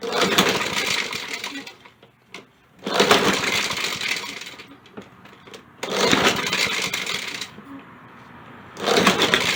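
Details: Poulan Pro mower left out in the rain, pull-starting on starting fluid: three rattly recoil pulls, each briefly catching then dying; the recoil rattles and fails to spin the engine fast enough to start.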